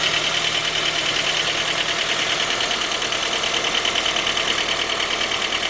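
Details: 2010 J20A engine at cold idle: a sharp, very even knock about three times a second. It appeared at 10,000 km, and dealer checks of valves, compression and oil pressure were fine. It worsened after oil changes. Cause was a scored crankshaft journal on cylinder 3.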